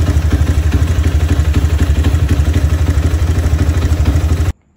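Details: Honda CB motorcycle after an engine rebuild with the cylinder re-honed for a scored piston: even, steady thumping at about four beats a second, with no knock or clatter, then a clean shutoff; a smooth, healthy idle.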